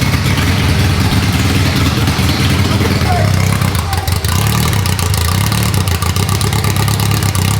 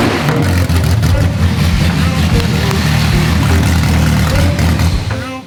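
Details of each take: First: Rebuilt Ferrari F430 V8 on its first start in over 7 years: lumpy, uneven loping idle firing on only four cylinders, one bank; the cam sensor plugs turned out to be swapped. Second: ready instantly it was better it was running on all eight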